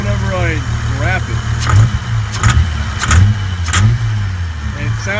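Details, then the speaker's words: Toyota Cressida with a replaced head gasket at rough idle with a sharp tick about every half to three-quarter second, slightly uneven; weird ticking of unknown origin, intermittent, later not reproducing. "and as you can see it's making some weird ticking noise but uh I don't understand what is going on"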